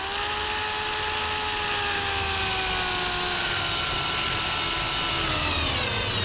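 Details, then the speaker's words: Drill driving screws into white pine without pre-drilling, on a 1957 Oval Window VW Bug: steady high motor whine that sags in pitch ("honking down") as the screw seats, then cuts off; normal driving load. "And I'm listening to the sound of my drill when it starts honking down like that. It's when it's basically over with."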